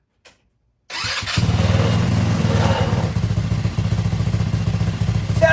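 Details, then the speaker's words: GY6 150cc engine after cooling fan replacement and new HammerHead velocity stack intake with Uni pod filter: catches after a short crank into a steady, even putter with clean low exhaust beat, no rubbing; runs normally. "Sounds good to me. Yeah, that's wonderful."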